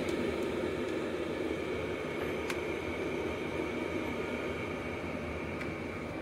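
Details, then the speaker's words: Diesel heater shut down after its first biodiesel test, ahead of a 100% biodiesel restart: steady, even fan rush with no pump clicks as the blower runs on to cool it. A normal shutdown cooldown cycle. "that shut down let that cool down and then we'll get back to you again and we'll do the second test and see how we go"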